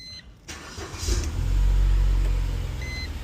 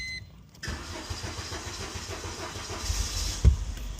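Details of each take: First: 2005 Mercedes A170 after repairing crankshaft position sensor wiring (no-signal code, crank-no-start): quick crank catches at once and settles to a steady, even low idle with a short chime; codes cleared, no check engine light. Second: 2005 Mercedes A170: engine catches, runs rough about four seconds, cuts out and dash chimes; scan shows crankshaft position sensor no signal and monitoring error, harness or sensor to be checked.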